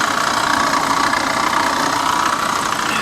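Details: C4 Corvette at salvage yard, AC belt and pulleys removed: fires right up, steady idle with light regular tapping two or three times a second; water pump or top-end suspected, cause unknown; engine knock.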